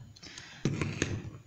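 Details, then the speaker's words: Bench test of a VW Beetle (Vocho) relay, 30–86 bridged with positive on 86, ground applied to 85; crisp clicks as it pulls in and voltage appears at terminal 87: relay working normally. "colocar en la terminal 85 la señal de tierra se active el relé y ahora tenemos alimentación o salida de voltaje en la terminal 87"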